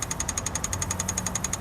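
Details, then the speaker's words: Onan generator for an MC9 bus RV conversion: after float repair and a leak test, the electric fuel pump is wired directly and runs normally, with fast, even, light ticking around ten per second over a faint hum. "so hooked up a little wire to the pump you can probably hear that little ticking that's the pump running now"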